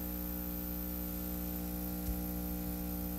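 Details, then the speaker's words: Loud transformer hum from a 1931 battery charger under heavy charging load at a little over 2.5 A: a deep, steady mains hum with a strong buzzy edge, growling louder as the current rises. "Ooh, it's starting to sound real angry. Okay, so what are we at now? A little over 2.5 amps."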